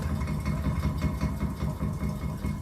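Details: Cellar King bar chiller condenser fan, about 4 years old running 24/7: steady motor drone with rough gritty rumble underneath, unit shaking hard; bearings worn out, one possibly missing entirely, needing replacement.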